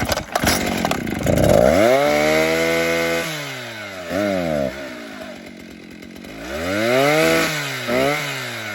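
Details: Vintage 1960s Stihl 08S two-stroke chainsaw, close to 60 cc, cutting firewood: revs up cleanly, holds a strong high whine through the cut and drops back to idle smoothly; normal running under load.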